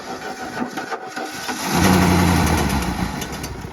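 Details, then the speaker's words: Plymouth Fury III with 318, sitting 25 years, first crank after confirming spark, fuel pump squirting gas everywhere; catches and fires briefly, uneven run fading out within two seconds; fuel starvation. "that was quick that fuel pump is squirting gas everywhere all right she cranked over kinda"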